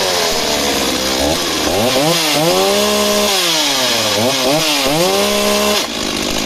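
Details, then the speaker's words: Stihl MS260 project chainsaw, two-stroke: surges and dips unevenly, pitch sagging and stumbling at low speed before cutting out. Great top end, but it bogs at idle and dies unless the throttle is kept flipping. Cause unclear. "so she starts and runs but really really Peaks fantastic but Lowdown is very unhappy if you leave a idling for a minute half a minute to start to get heavy and start to bog down and then just cut out"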